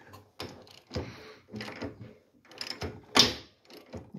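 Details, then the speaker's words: 1966 Volkswagen Beetle engine, unrun since 1988, turned slowly by hand: uneven sharp clacks about one a second, seemingly from one side, stopping when turned backward. Valves looked fine; cause unknown, possibly something inside the case or cylinder. "you can hear it clack like that it sounds like it's coming over on this side and I've already looked at the valves and such and they didn't look like they'd fallen out or anything"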